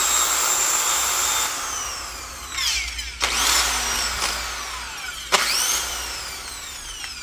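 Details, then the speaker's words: Old rusted Milwaukee Magnum drill, gearbox opened and heavily greased: high whine with rough gritty scraping swelling on each trigger pull; gears grinding, likely junk; cause suspected, not confirmed. "it sounds like there's gears grinding against each other and it's not a healthy thing"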